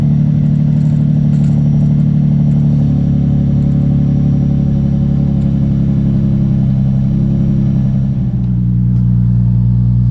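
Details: 2003 Nissan 350Z idling after new ECU install and fuel pump seal replacement, first run in over 2 years: smooth, even idle hum, steady low pitch, no stumbles or ticks; running healthy, no fuel leak.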